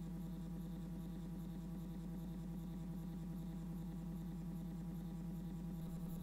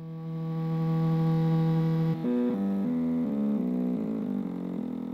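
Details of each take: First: Stepper motor driven by an A4988 driver set to 16 microsteps (its maximum): a steady low hum with a fine, even flutter and no harsh buzz, about 45 dB. Smoother and quieter than before but still louder than TMC2208 drivers; normal operation. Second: Stepper motor rated at 0.8 A driven by an A4988 driver: a loud tonal hum with coarse steps at slow speed that smooths as speed rises, about 74 dB at medium to high speed.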